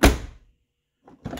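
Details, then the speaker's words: 1990-1997 Lincoln Town Car door after striker bolt bushing replacement and adjustment: one solid popping thud as door shuts, no rattle or click; latch catches cleanly, maybe adjusted slightly too far. "and it makes that good popping sound I think I went too far though and a little bit there"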